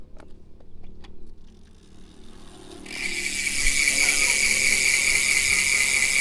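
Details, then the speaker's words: Ragusa XM600 rear hub with sealed bearings, about 4 pawls, on GTS M7 rigid MTB, wheel coasting: a few slow separate clicks, then fast, even, high-pitched ratchet buzz; normal freehub pawl clicking. "Yan guys, yan yung tunog ng Ragusa o na ulit 6M, ano? XM6. Yan, MTB hubs kapag naka-free wheel."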